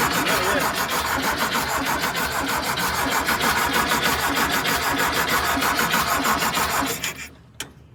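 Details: 1973 VW Thing with swapped-in VW Beetle engine, restarting, fuel pump just replaced: regular cranking about three strokes a second for seven seconds, never catching; cranks but won't start.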